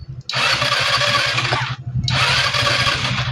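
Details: Euro 150 fuel-injected scooter engine after a check-engine reset: two long cranking bursts, starter spinning the engine steadily but it never fires; cranks without starting, next step checking fuel pump and spark at the high-tension wire.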